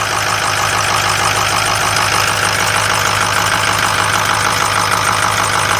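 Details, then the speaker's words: Idling engine after a sealed fuel-regulator leak got fuel on the serpentine belt: repeating chirpy squeal about three per second over the idle; fuel-contaminated belt slipping, belt replacement needed. "Sounds like we need to put a belt on it. It had a fuel leak before. We sealed up the fuel regulator. And obviously anytime you have a leak like that, it winds up getting fuel on the belt. Any fuel leaks, coolant leaks on the belt, it'll just squeak the hell out of it."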